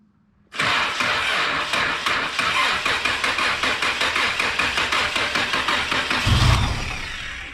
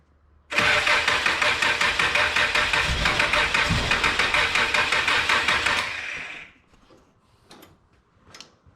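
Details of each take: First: Old automatic car started after sitting almost 12 years, with a replaced gas tank and temporary windshield-washer-line fuel hose, one hose unclamped and leaking. It catches immediately after a short crank and holds a lumpy, busy fast idle before shutoff: first start after long storage. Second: Old car that sat almost 12 years, after a fuel tank replacement and fuel line fix: cranks evenly at about three beats a second for some five seconds, then fires up, running on old fuel that is clearing out.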